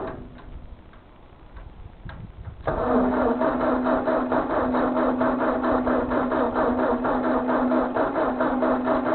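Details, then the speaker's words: Ford 2N tractor, unused for years, fuel system cleaned, cranked on a new jump pack: starter whirs steadily at about two beats a second, but the engine never fires. Cranks, no start; owner suspects the distributor points, unconfirmed. "I'm going to take a shot to say that I think that I need to go ahead and clean the well I think we give it a try um like I said the points on these are always the issue"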